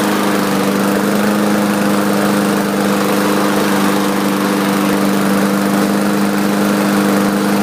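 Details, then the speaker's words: Craftsman 4.75 hp mower with Briggs & Stratton carburetor, unused for over a year, just started: steady even single-cylinder buzz, no misses; runs healthy, smoky at startup from overfilled crankcase oil. "it did start by the way so that's a good thing it was just blowing a lot of smoke at startup"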